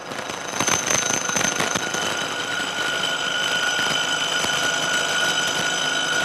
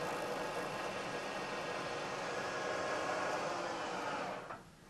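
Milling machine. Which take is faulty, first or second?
first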